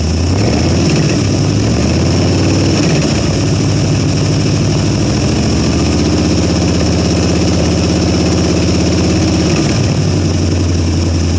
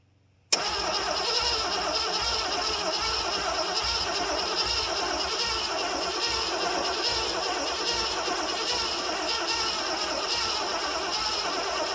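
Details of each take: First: 1973 Ford Gran Torino Sport, 351 Cleveland, off the road for 30 years, running on a carb fed by pouring fuel: a loud, even exhaust rumble that revs smoothly and returns to a steady idle, with no lifter clicking. The oil light goes out; the alternator isn't charging. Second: 1973 Ford Gran Torino Sport, 351 Cleveland, off the road about 30 years, new starter fitted, fuel primed, throttle held. Steady, fast cranking with no firing at all: no spark from the points, which had only borderline spark earlier.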